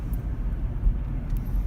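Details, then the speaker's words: Car on the road after a wheel hub repair, checked for the noise; low even tyre and road hum, no rumbling or earthquake noise; hub sounds normal after repair. "Alright, let's see if the noise has stopped. Turn everything off. Stop. Air off. Huh. Sounds good. No rumbling. No earthquake noises. I think we're good."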